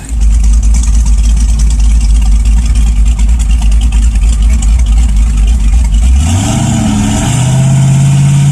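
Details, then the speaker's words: LS1 V8, turbos not connected so essentially naturally aspirated, 3200 stall converter: lumpy rumble, revs climb and hold against brakes, creeping at 2600–2800 rpm; AFR 13.0, good fueling, no stumble. "so it does seem to have good fuel it's supposed to be a 3200 stall but around 26 2800 it starts to creep and push through the brakes"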